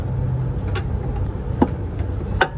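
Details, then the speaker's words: Seat Leon surplus automatic transmission bolted to the engine, crank turned by hand before tightening: three light metallic clinks about 0.8 s apart from the converter bolt wiggling in the flexplate hole, confirming the torque converter is free, not bound. "there you see there's the sound that's the sound that you're looking for to verify that it is not binded the sound is actually coming from"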